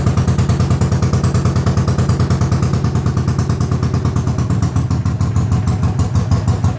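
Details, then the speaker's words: 1980 Honda CX500, non-running yard bike started via a jury-rigged ignition switch after rewiring: loud, fairly even thumping about three beats a second with clatter and unsteady pulses; rough running, needs carb work but runs. "definitely need some carb work but it's a runner"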